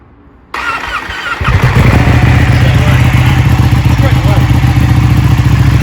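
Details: Ducati Panigale 1199 after a rebuild with repairs and modifications, first start; it previously cranked slowly: a brief crank, then it catches quickly and settles into a strong, even, lumpy twin idle; starts healthy.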